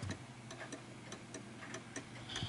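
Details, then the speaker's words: Art Deco chiming mantel clock being leveled on its legs; ticks come unevenly, short gap then long gap, lopsided; clock still out of beat. "And you can tell that that's still a little bit off because you can hear the ticking."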